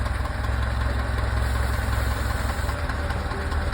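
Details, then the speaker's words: Carbureted car at warm idle, running rich and fouling plugs, mixture screw ineffective: lumpy idle sags when carb cleaner is sprayed on the carb rubbers, confirming an intake air leak there. "and there we go if the idle speed drops as that one did we have an air leak as suspected is an El leak along the rubbers"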